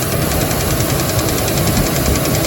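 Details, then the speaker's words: Dodge Dakota 3.7 at idle after three collapsed lifters were replaced: rapid, even knocking over a low rumbling idle, sounding different than before and seeming to come from low in the engine; suspected rod knock, unconfirmed. "this definitely sounds different now than it did before seems to be coming from lowering the engine i think we've got rodnock"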